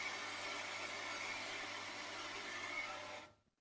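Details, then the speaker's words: Solar-powered pump that runs all the time, pushing rainwater from roof-collection tanks (about 3/4 full) up the hill under strong hose pressure: a steady, even water-rushing hiss over a smooth motor hum, no knocks or surging. Normal running. "And these tanks here, you can have a listen to them. And I reckon the water level's about there. So they're about 3/4 full as well too."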